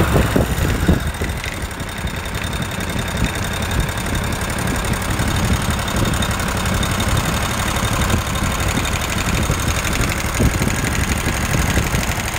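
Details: Kawasaki FH601V 19 hp on a 1700-hour Scag Tiger Cub with a runaway governor: an irregular metallic clank over a steady rumble, blamed on a worn plate, not rod knock. Clanking noise.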